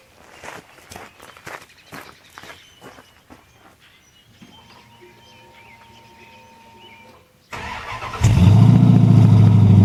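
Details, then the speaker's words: 1928 Dodge Fast Four with Gen III Hemi V8 swap, RH46 automatic, quiet exhaust, cold start just below zero with frost: silence, brief crank, catches and settles into steady even idle; healthy normal cold start. "She runs good. It's not very loud. I didn't want it really loud."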